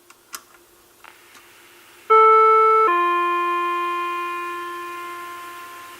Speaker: No more beep tone. Why? Because the Chime module is now ringing through on the music side of the IM5000 system.